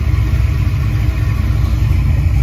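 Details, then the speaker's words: Ford 5.0 302 V8 idling after repair: a roller rocker had come off from improper installation with an Allen-key lock not tight enough, knocking like a blown motor; now a deep, even rumble, quiet with no lifter noise or tapping, back to normal. "Wow, I am stunned. It's back to its normal old self. It's quiet, no lifter noise."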